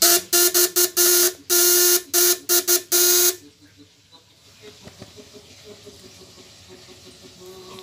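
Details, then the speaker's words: 12V contact-breaker (platina) shock/inverter unit rated 1.5 kg, load-tested at 200–1000 W through a switch; breaker tension set too loose, only slight pressure, giving a hissing buzz in short uneven bursts then near silence; tightening clockwise makes it smoother and higher-pitched. "Ini masih Los ya Los nah ini udah ada ada tekanan cuman dikit nih kita lihat ya suaranya solusi Los suaranya lulus banget"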